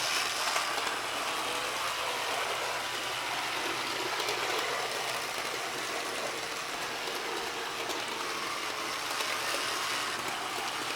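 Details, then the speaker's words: RSO New Haven model locomotive test run on track after diagnosis, reassembled with oil still fresh: steady, even motor whir with light track rattle, no surging or arcing crackle; running smoothly, though commutator bars may fill and arc again. "It's actually running really nice. But again, how long before those crap fills up with those comm bars and it starts arcing again?"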